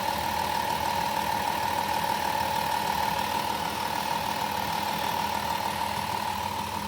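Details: Van just jump-started after battery drained changing gauge-cluster bulbs to LED, brand new serpentine belt: steady, even idle with a faint constant whine from belt accessories, no knocking or stumbles; healthy-running engine.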